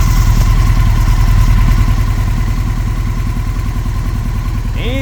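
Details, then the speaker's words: 1996 Honda 900RR Fireblade, 919cc carbureted four-cylinder, stationary at operating temperature with Water Wetter coolant: an even idle pulse of about three per second, then a rising electric whir as the radiator fans start once the thermostat opens. A healthy warm idle. "so about to hit normal operating temperature I'm gonna go ahead and grab it a few more times she's not moving down the road so we should see those fans kick on pretty soon"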